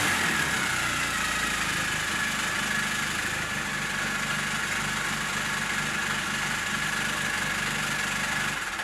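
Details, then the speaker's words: Rebuilt 1400cc A-series race engine, offset ground crank, big-valve ported head with roller rockers, raised compression: crisp even running, firm steady beat, no rattles or misses; sounds good, though ran lean and idle was richened. "Alright, so that is everything back together, up and running, all seems good, sounds good."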